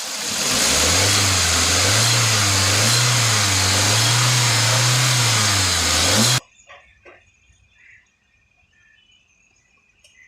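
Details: VW Vento petrol engine revving smoothly and evenly after a jammed fuel injector that caused misfire, a check light and lack of power was fixed; misfire gone, no fault codes, then the sound cuts off abruptly.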